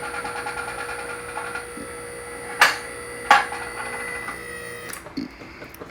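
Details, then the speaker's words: QuickJack 5000SLX lift raising after filling the reservoir with 2.1 quarts of hydraulic jack oil and opening the top valve a couple of turns; steady pump hum, two sharp clicks a second apart as safety locks catch, motor stops; normal. "Okay, let's see if these things work. You can hear the locks start to click into place."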